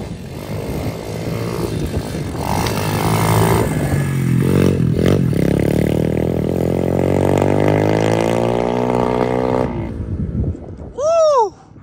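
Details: SSR125 single-cylinder pit bike, final ride after full rebuild with crash-bent frame straightened and reinforced: pulls cleanly, pitch climbing smoothly under load without stumbles or misses. Normal running under load.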